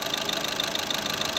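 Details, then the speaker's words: Skoda Rapid diesel after injector replacement and minimum quantity adaptation: steady, even idle clatter with RPM fully stable and no misses; normal idle. "अभी start करते हैं हुआ है phone किधर है दोस्तों है और पीएम बिल्कुल स्टेबल है"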